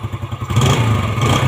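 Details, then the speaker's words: Yamaha Jupiter Z after rebuild with original piston and new valve stems, oil pump confirmed working: even idle, then clean quick revs with no knocking or rattles; smooth and responsive again. "Nah ini udah selesai udah aman oli naik bagus suaranya halus lagi"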